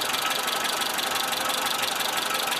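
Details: Suzuki SJ410 at a warmed-up idle in light rain: fast, even light ticking over the idle. The valves have probably never been adjusted, so loose valve clearances are likely.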